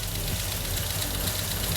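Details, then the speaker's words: Toyota Hilux turbo build, first start of a used wrecker engine that had not run in about a decade: a fast, light clatter over a rough idle; the top end ticks until oil reaches the head. "And hear how it was super clacky at first. Just need to get the oil up there."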